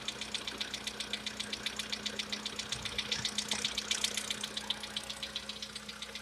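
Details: VW Polo Sedan, CFNA engine, at idle: sharp bright steady tapping about 90 per minute from inside the engine; owner tests whether decarbonization cures this known knock.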